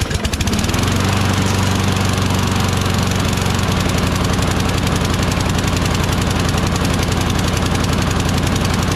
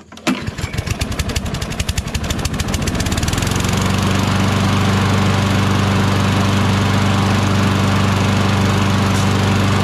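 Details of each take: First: Craftsman push mower, Briggs Quantum 6.75 engine, after flywheel brake and kill switch cable replacement: starts fine but chugs unevenly at high speed as if still choking. Owner suspects the carburetor needs attention. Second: Craftsman push mower with a Briggs 6.75 Quantum engine: a rough, choked-sounding start settles into a steady, even low thrum; it runs fine, but the carburetor is suspect and the choke flap is bent.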